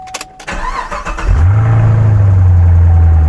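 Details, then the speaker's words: Camaro SS, cold start after sitting a few days with a new battery fitted; brief crank, then catches at once and settles into a steady, even low rumble; normal start and idle. "Real fast. That sounds good. Yeah. Car does sound good."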